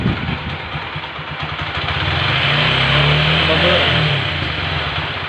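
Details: TVS Apache 4V single-cylinder motorcycle after tappet (valve clearance) adjustment for tappet noise: steady idle, smooth rev-up and back down, no ticking over the top; valve train quiet, normal idle.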